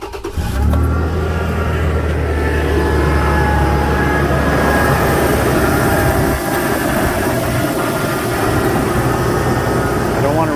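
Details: 2009 Toyota Tacoma, about 268,000 km, cold start: a steady high-pitched squeal from the drive belt area over an even idle that fades after a couple of minutes, loudest near the alternator, tensioner or idler bearing; belt squeal on cold start.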